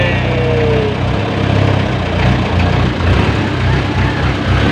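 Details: 24-volt owner-type vehicle with 430 diesel engine, after restoring supply to voltage regulator: steady, even idle with smooth low rumble, no misses, knocks or surging; now charging, alternator was fine.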